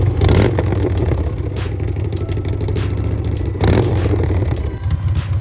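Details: 2011 Harley-Davidson Road Glide Ultra after rebuild fixing a horrible engine noise, broken parts replaced with new S&S Cycles parts: steady loping V-twin idle, even firing, no top-end tapping; healthy.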